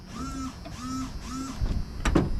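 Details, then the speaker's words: Square-body truck, newly installed washer fluid tank, tested after dark: three short even whirring bursts of about half a second each; washer pump working normally. "Got the washer fluid tank in."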